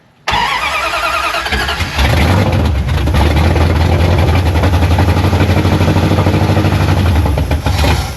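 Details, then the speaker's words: 1973 Dodge Charger 383 big block, long parked, cranking while watching fuel pump: starter churns at a couple of beats per second but never catches; no fuel delivered, fuel pump not pumping and needs replacement. "Still no fuel. >> No pumps. We need a fuel pump."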